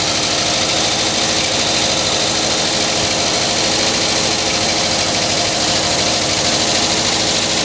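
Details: 1979 Volkswagen Type 2 with 2-liter fuel-injected flat-four engine at idle: fast, uneven glassy clinking like bottles tapping, as if something light is rubbing; owner suspects the fan, refitted unmarked after cleaning and painting; cause unconfirmed.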